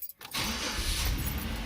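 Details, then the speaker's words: Early-2000s Pontiac Montana van with the 3.4 engine, first start after an aftermarket muffler install that cured an exhaust leak: a brief crank, then a deep, even, steady rumble with no leaks, puffing or ticking. Normal start. "it sounds really good [Music] that's good enough we'll just crawl not a single leak sounding good looking good"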